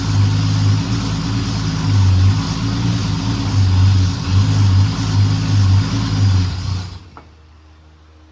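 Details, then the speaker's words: Low, lumpy six-cylinder idle with an uneven pulse for about seven seconds, then cuts off: 1968 Dodge Dart slant six after 18 years of storage; it refires when the accelerator pump is pumped, and the idle circuit is probably clogged, so the carburetor needs a rebuild. "it actually runs pretty good. Just needs that carburetor tuned up."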